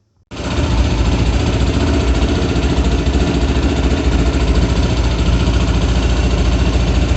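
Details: Kovi Pro KT, zs177mm single-cylinder, after a new timing chain fixed a knock: it catches at once and settles into an even thumping idle, about three or four beats a second, with no rattle or knock.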